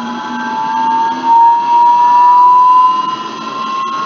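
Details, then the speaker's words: Electric motor and bearing on run-up test, microphone recording: clear tone near 1 kHz rising in pitch with speed, loudest at a critical speed; tonal yelling bearing whine. "okay very good I hope it was audible in the time senior you can notice that when it's yelling we keep in mind that we are always speeding up the water so there is a a critical speed where we really can hear this tonal and yelling noise"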